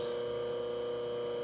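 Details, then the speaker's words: Restored Jenny fan with a rebuilt motor, wired for 120 V AC and run on a stand: a steady, clean mid-pitched hum with no rumble, grind or wobble, sounding a lot different from the other fan; normal motor hum. "but it sounds pretty smooth short of sound a lot different than that one over there"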